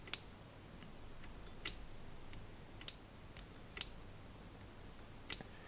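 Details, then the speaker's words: Yamaha CR-1000 receiver, microphone control rotary switch: five crisp clicks in a quiet room, but the detent only half engages and activates properly only when the knob is pushed to one side; the fix is bending the switch bracket. "it's only doing a half click. And only if I press the knob to the right uh to the left here, it seems to activate that switch properly."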